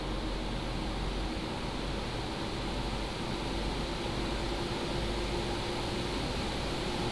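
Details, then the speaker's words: PCcooler DT360 ARGB Display liquid AIO under Cinebench load, pump at 100%, radiator fans on high profile exceeding 3,000 RPM: smooth even airy rush with soft low hum, no whine, rattle or ticking; normal fan noise under load. "Now, I'm just going to ramp up the uh Cinebench and take a look at my right where you can see the RPM that will hit above 3,000 RPM. And this is how it sounds like when it's at load."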